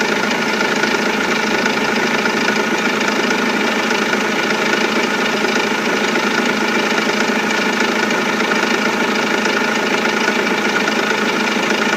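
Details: Renault Laguna 2 2.2 dCi diesel at steady idle after timing belt and water pump replacement, with a hard, uneven nailing knock of about 100 a minute on top; knocking fault, cause not pinned down.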